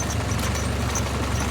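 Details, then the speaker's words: 1955 Ford 660 tractor with the 134 cubic inch Red Tiger four-cylinder, idle turned all the way down. Low, steady chugging with an even beat and no misses or knocks; a normal, smooth idle. "how smooth the 134 cubic inch red tiger motor would be used in this series is very handy for light work"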